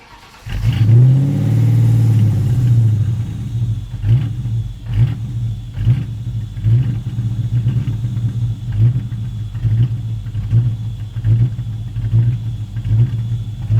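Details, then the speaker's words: Built 2003 Ford Mustang 5.0 V8 on a cold start with the MAF sensor connected, which runs much better unplugged; catches and flares, then loping uneven idle stumbling about once a second: rough idle, cause suspected, also an air leak found. "It actually doesn't like it when I fire it up. Yeah, with the MAF sensor connected."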